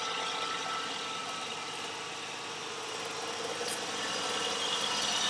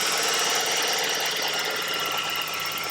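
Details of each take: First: 1989 Ford Ranger 2.9 V6 at rough idle, heard through a vacuum-hose stethoscope: hissy idle with a thin high whistle over a soft pulse from a faulty PCV valve; pinching the PCV hose stops the whistle. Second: 1989 Ford Ranger 2.9 V6 idling after replacing the PCV valve that caused a whistling noise. Even idle with a light, steady valvetrain tick and no breather whistle; normal idle.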